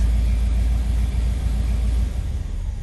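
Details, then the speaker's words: 1985 Chevrolet Caprice Classic, 5.0L 305 V8, about 152,730 miles, warm, before repair. With the foot off the gas, the idle is low, lumpy and sagging and wants to stall. The owner suspects a faulty EGR valve. "it idle is low and it wants to stall and here's real rough it just doesn't want to stay stay strong now that it's warming up"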